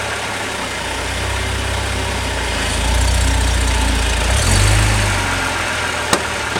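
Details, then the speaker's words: 2003 BMW E46 330i six-speed, holding brakes while slowly releasing the clutch into reverse: idle thickens into a buzzy metallic rattle under the car, possibly driver's side, only under load when shifting, not at constant speed. "I'm gonna put it in reverse this is what it sounds like I'm gonna hold the brakes it only happens when you let the clutch go off a little bit"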